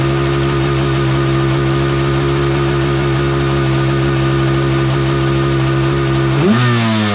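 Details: Kawasaki 750 jet-ski engine in a mini jet boat, run on the hose with the jet pump removed: steady even note holding revs, clean blip at end, no knocking or grinding; earlier crazy noise gone, so fault was in the pump.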